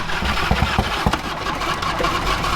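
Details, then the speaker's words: Toyota FJ55 Land Cruiser started after sitting runs rough with heavy thuds about three per second, a deep knock from low in the engine; it has good compression, and a bottom-end failure is suspected, not confirmed. "It's not the starter though. It's that gear. Yeah. Knock there. That's bottom end."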